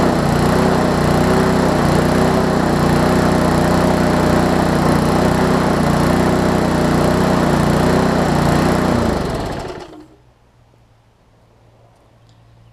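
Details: Lawn Chief push mower with its engine turned 180 degrees and a new recoil cover, air-fuel mix adjusted (needs starter fluid on cold starts): steady, even small-engine buzz at constant speed, then shut off and winding down; running properly.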